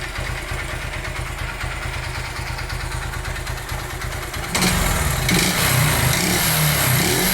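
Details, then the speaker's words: 2008 Honda Titan CG 150 single: sharp, even knocking about four times a second at idle, buried when revs rise, sometimes louder; teardown found a worn piston from lack of lubrication. Piston slap. "Tem vezes que o barulho altera mais ainda, galera. Barulho bem forte mesmo. Tem vezes que o barulho altera bem mais do que tá agora."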